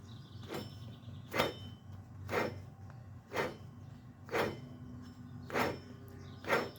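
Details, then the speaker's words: Jeep Patriot FWD, rear wheel bearing: wheel off, hub spun by hand gives rough, gritty rasping swelling about once a second; drum shoes still decent. Under vehicle weight at 20–60 mph it gets pretty loud. Worn wheel bearing grinding. "so that right there is not a good sound foreign with the weight of the vehicle sitting on the bearing and then traveling at you know 20 30 and even worse 60 miles per hour this thing gets pretty loud"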